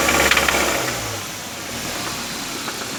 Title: How to diagnose ticking noise in Engine